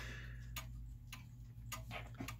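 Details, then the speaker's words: German time/strike clock back in beat after leveling and pendulum crutch adjustment: even tick-tock about every 0.6 seconds with evenly spaced beats and a low hum behind. "all right so it's back in it's back in beat we're going to close this up like this"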